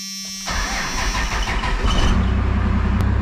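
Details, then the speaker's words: 2nd-gen diesel welding-rig truck after a bad PCM, with a new wiring fix installed: it cranks briefly, catches and settles into a steady even idle; the earlier surging under load is gone, normal start and idle. "probably hard to tell was before it was real bad it would it would surge under load um again it's not doing that even with RPM change"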